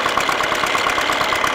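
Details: MTZ-80 tractor diesel after fuel injection pump overhaul, at idle: a steady sharp knock about eight to nine times a second over a rough, misfiring beat; runs smoothly under load, cause unclear.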